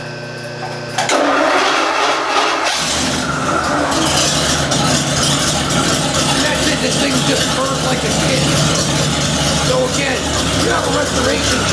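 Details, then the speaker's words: Restored Ford 292 Y-block V8 with Holley electric-choke carburetor and MSD distributor, break-in run on stand without proper exhaust: catches after short crank, even steady idle with open-exhaust rasp, no knocks or misses; runs normally. "As I'm standing here, we're gonna let Matt fire this up and let you hear this thing run. It's got a little bit of exhaust noise, you know, because we don't have a proper exhaust, but it's good enough for us to break this motor in, and it runs phenomenal."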